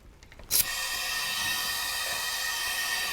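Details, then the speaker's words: 1960 John Deere 1010 diesel tractor that has been sitting, leak-down test on one cylinder: steady hiss of air escaping at the crankcase oil fill, with no movement at the intake, coolant or exhaust. Piston ring or bore leakage. "look at this there's your problem lady yeah so that one is the the Rings so that one is definitely either"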